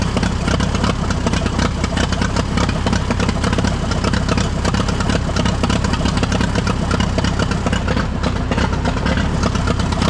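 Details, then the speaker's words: Allis Chalmers tractor, believed late-1940s WC, possibly 6-volt positive-ground system, first run after roughly 15–20+ years sitting: loud, steady low chugging at even rhythm, idling on its own; normal idle. "well we got it running so that's the first time it's ran in I don't know 15 years"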